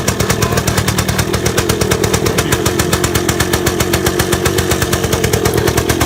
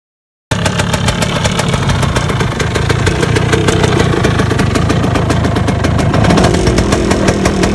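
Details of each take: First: 1978 Yamaha DT175 Enduro two-stroke, first run after reassembly, idling on choke while warming up: fast, even popping with no misses; sounds much healthier. Owner suspects piston slap and a rattly clutch basket; a separate rattle is the underguard. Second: 1978 Yamaha DT175 Enduro two-stroke just rebuilt, idling: fast, uneven metallic clatter over the exhaust buzz; owner suspects piston slap needing a new piston and a rattly clutch basket needing rebuild, cause not confirmed.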